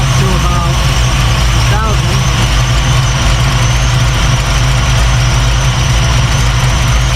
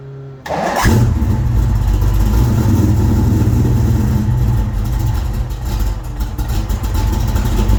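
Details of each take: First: 1989 Mustang Notchback carbureted V8 after starter replacement and carb fix, base timing lowered to ease starting and drop idle: deep steady burble settled just under 1000 rpm, no misses, hunting or surging; idle called perfect. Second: 1989 Notchback V8 starting on newly replaced starter, battery not yet secured: fires into rough heavy idle with coarse grinding rumble underneath, sounding like starter grinding on the flywheel; cause not yet found.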